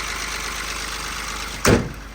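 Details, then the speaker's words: Mahindra Bolero three-cylinder diesel at idle, bonnet open then closed: steady, slightly clattery even beat with a bonnet slam near the end; some noise is normal for three cylinders, insulation quiets it when closed. "But हां क्योंकि तीन cylinder है ना तो उस वजह से थोड़ा सा इसमें साउंड रहता ही है।"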